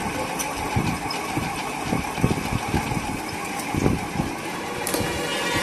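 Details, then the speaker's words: Ceiling fan runs but makes a loud, constant grinding roar with irregular thumps, like a flour mill. The source, balance or rotor, is not yet found. After the repair the fan runs silently. "ऐसा लग रहा है जैसे हम आटा चक्की चल रहा है का सिक्का आवाज इतना कहां से है यह देखेंगे इस वीडियो में"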